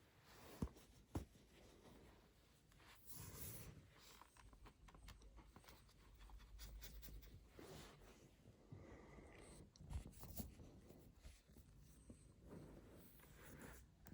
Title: MacBook Pro 16 M2 Max Clicking and Creaking Noise From Back When Shake or Press Laptop